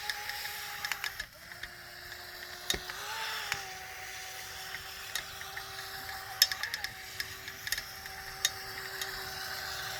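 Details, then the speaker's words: Proboat Jet Jam RC jet boat after brushless motor upgrade, running on a muddy pond: high motor whine flares as the impeller sucks air and cavitates, spinning freely and losing all propulsion; fixed by throttling off and back up. "sounds like it almost like if it was a normal boat that it broke the propeller but what's going on is it's starting to suck air cavitating and then it loses all propulsion"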